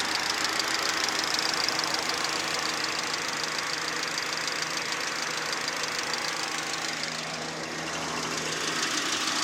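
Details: VAZ 2110 16-valve engine at idle: fast, fairly regular light tapping about three per second over the hum; engine knock of unclear origin.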